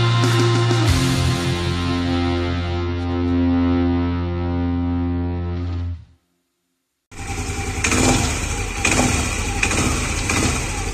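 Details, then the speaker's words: Yamaha Aerox scooter CVT knocking and rattling unevenly when the throttle is first opened, from a worn, loose pulley boss and CVT case bearing; mild at first, worsened when left. "Di awal video kalian sudah dengar ya, ada suara ngelotok di area CVT Yamaha Eeros saya. Kira-kira permasalahannya apa nih? Suaranya timbul pada saat gas pertama dibuka ya, Guys."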